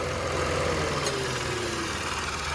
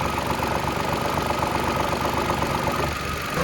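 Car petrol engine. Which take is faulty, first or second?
second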